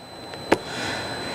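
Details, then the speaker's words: Powersports (motorcycle/ATV/snowmobile) starter relay solenoid tested by applying 12 volts with a multimeter across the large terminals: a single sharp click as it closes, with continuity shown. The relay is good. "when I connect this I'm putting 12 volts across the relay and we should hear it close, should hear a click, and we should also see the meter show a short between those two terminals."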